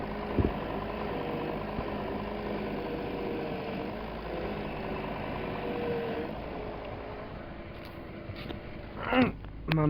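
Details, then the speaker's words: VW Phaeton 5.0 V10 TDI at idle with a thin, constant, unwavering whine over the engine; the power steering pump is whining, although the pump-to-rack hose is new original. The pump is replaced without removing the engine. "Cześć mały kłopot wyjąca pompa od wspomagania No bo rzeczywiście od pompy do maglownicy nowy w oryginale No i tak niestety sobie wyje posłuchajcie z o.o"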